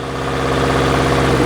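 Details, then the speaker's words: Subaru Forester held around 2000 rpm: a harsh, rough drone with uneven pulsing from the left side of the engine. No exhaust felt escaping, no check engine light, not the catalytic converter; valve or timing problem suspected. "I feel no exhaust coming out, but man, it sure sounds bad."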